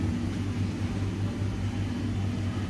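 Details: IFB Maxidry 550 very loud when running: a low droning rumble with an uneven throbbing beat from a loose blower fan blade striking its housing, with a rough bearing.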